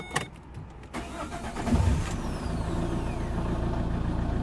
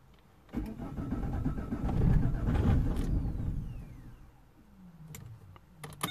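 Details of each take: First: 2007 Vauxhall/Opel Vectra 1.9 diesel Z19DT after engine swap, after correcting rail pressure sensor and solenoid wiring to ECU: several seconds of uneven cranking, then catches and settles into steady even diesel idle; normal start. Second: 2007 Vauxhall/Opel Vectra 1.9 diesel Z19DT after engine swap: starter cranks a couple of seconds, it nearly fires then stops, no start; high rail pressure sensor code P0088 appears and is suspected to prevent starting.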